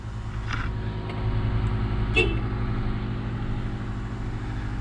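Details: 1997 Honda Odyssey van after fuel pump replacement: steady, even low idle rumble with no knocks or misses; engine running smoothly after repair.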